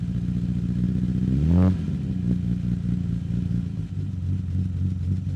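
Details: 1963 Austin Healey 3000 BJ7 Mk II fast road spec straight-six, cold start running full rich, microphone at the tailpipe: even, deep burbling idle with one quick blip that settles back cleanly; healthy.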